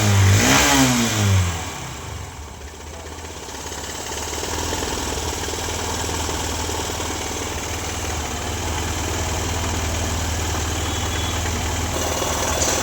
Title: BR03AT4749 ENGINE NOISE PROBLEM